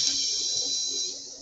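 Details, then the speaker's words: 2 amp switch carrying 10 to 60 amps: shrill, steady, hissy high whine fading after about a second as the overloaded switch arcs and stays on. "actually hear the switch whining okay this is what happens when you put uh 10 20 30 40 60 amps through a 2 Amp switch"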